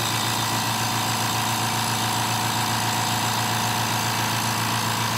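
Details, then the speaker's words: Steady, even motor hum, constant mid-pitched drone, no knocks or rattles: a newer two-gallon compressor with a large motor runs quietly and smoothly, heard alongside an old 3-gallon 1/3 HP 100 PSI oil-free pancake unit that stopped building pressure. "this has got a huge motor on the back and it's really quiet"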